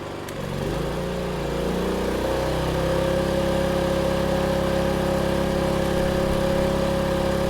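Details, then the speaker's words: Generator supplying a substation demo as a kettle (standing in for a house geyser) is switched on: the drone rises in pitch as the generator accelerates under the heavy load, then settles into a firm, even run; healthy under heavy load. "you can hear the change of pitch on the generator. Remember that the generator accelerates when it starts throwing a lot of power, when it starts using a lot of power."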